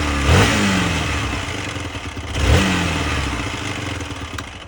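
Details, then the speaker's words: Hero XPulse motorcycle after new clutch plates, a clutch pressure-plate repair and a new exhaust manifold gasket. The clutch works, but a dry metallic rattle swells with each throttle blip; owner unsure whether it comes from the exhaust manifold or the clutch. "Debriyajla ilgili problem yok ama şakır şakır diye ses geliyor."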